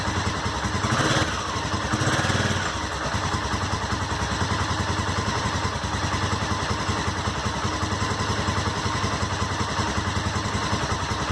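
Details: Honda SuperHawk 996 (VTR1000) V-twin just reassembled after rebuild, fresh coolant: lumpy, uneven idle with a steady throb and light clatter, holding speed; normal warm-up, though coolant climbed quickly to 102 and smelled hot.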